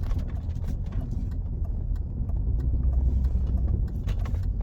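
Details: 2004 MG ZT-T+ 180 2.5 V6 automatic Tourer while driving: deep heavy booming drone under road rumble, no sharp knocks, noticed when slowing at junctions; exhaust drone, cause not yet pinned down.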